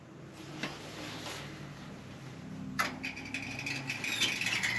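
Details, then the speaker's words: Weil-McLain EG/PEG-40 standing-pilot boiler, 22.5 years old: quiet room, then a sudden hiss of water with a faint thin whistle as the automatic water feeder tops up the boiler. "You don't hear this adding water? Yeah. Okay. Apparently something's wrong with that."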